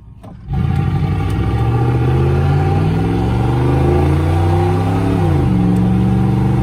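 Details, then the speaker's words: 88-95 TBI V8 after swapping the TBI distributor for an HEI distributor, 0-60 acceleration run: engine note climbs smoothly and steadily through the gears with no stumble or hesitation under load, strong clean pull; healthy acceleration. "and you can hear no hesitation at all so she's fine tuned baby"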